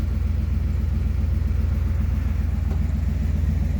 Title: Cold start-1992 Dodge W250 With a 360 LA engine.